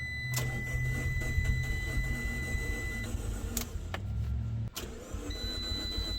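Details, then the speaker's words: Salvage 2013 Fiat 500 Abarth turbo, first start after auction purchase: starter grinds for several seconds under a warning chime before it catches, a long-crank hard start; owner suspects bad gas, check engine light on. "some bad gas or something there's a check engine light on that might be causing it to have a little hard start issue"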